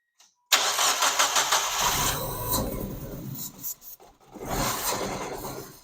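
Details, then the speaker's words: Mazda Miata bought abandoned, cranking with no fuel pump sound, fed starting fluid: catches roughly then stumbles and fades; fires only on starting fluid, fuel pump suspected dead, not confirmed. "it cranks doesn't start and that's because you can't hear the fuel pumps kicking on so I'm guessing the fuel pump's dead"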